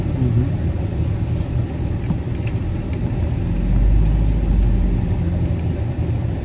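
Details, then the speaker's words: Car driving after rebuilt front suspension with new axles, hub assemblies and tie rod ends: steady low road rumble, no clunks over bumps; much quieter front end, though still pulling right, out of alignment. "So much quieter."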